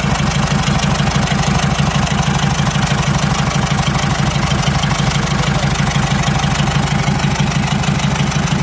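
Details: Toyota 1KD-FTV diesel previously cranking with no start, now running: steady, even clatter at about three pulses a second with no misses or knocks; running normally.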